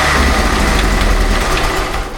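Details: Jeep Wrangler YJ with a replacement, allegedly low-mile 2.5L engine after the original's holed piston and cracked block, first run and warming up after a coolant top-up: loud, even low rumble with no knocks or misses; normal idle.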